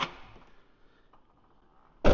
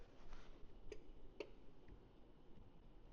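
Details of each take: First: 2013 Ford F150 with shaved door handles, passenger side: quiet, then a firm release thunk as the touch-glass door popper releases and the door pusher opens the door; working normally, unlike the other side, where the relay clicks but the popper gets no power. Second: 2013 Ford F150 with RideTech air ride, rear door popper triggered by touching the glass: a few faint, sharp relay clicks inside the cab with no motor whir after them. The relay switches but the popper gets no power.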